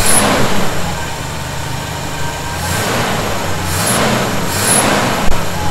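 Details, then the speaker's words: 1971 Chevy C10 V8 at idle after a cold start, following tightening of loose fasteners suspected of a vacuum leak: steady, even low idle with slight background hiss but no whistle at the carb base. Sounds healthy. "i'm not hearing it right now that may have been the answer you know i still didn't crank those down really hard"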